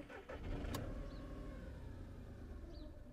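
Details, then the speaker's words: 2012–2013 VW Polo 1.2 TDI, codes P261A00, P023800, P010400, intake cleaning didn't help: diesel catches briefly then dies within two seconds; EGR valve suspected stuck open (MAF ~5 g/s vs expected 12–13); starts then stalls. "so it starts then ingest the exhaust gases and then it cuts out so sometimes once you heat them up a little bit they keep going"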